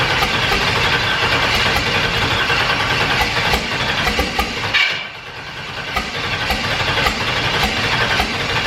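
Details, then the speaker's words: Turbo Firebird with COPO cam, first fire-up on a rough, unfinished tune: loud lumpy idle with an uneven beat that sags and recovers; it idles but won't settle, tune still far off; cause not confirmed. "it would sit there and idle but it would things are just weird but it does actually fire up"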